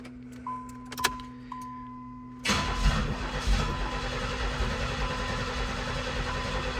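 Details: 1990 Pontiac 6000 SE AWD, sat 20+ years, engine reassembled without new intake gaskets: door chime then steady cranking that never catches; no fuel pressure, possibly something left unplugged.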